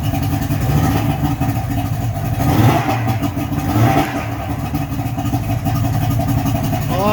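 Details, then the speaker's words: Johnson 55hp two-stroke three-cylinder outboard after carb air-fuel adjustment: smooth, steady drone without misses, running on all three cylinders, no fuel leaking from carbs; running well. "i would say that sounds pretty awesome pretty good i'm pretty happy with that we got no fuel pissing out of the carbs we got i could feel the good suck definitely running on all three cylinders"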